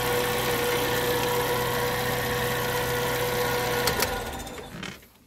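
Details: Suzuki APV that would crank but not start after the park light was switched off, now running during wiring troubleshooting at the main and fuel-pump relays: an even, smooth low-hum idle with no misses or knocks before shutdown. Normal idle.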